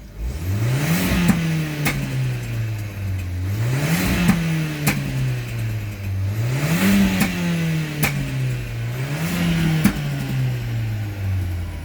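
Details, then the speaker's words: VW Golf 7 TSI with DSG, Stage 1 tuned and no rev cut, repeated free-rev blips about every three seconds, rising cleanly and dropping with crisp pops and bangs on the overrun; normal healthy running. "This one doesn't do that, because when I rev it, you can see that it goes out, and so it's got pops and bangs there."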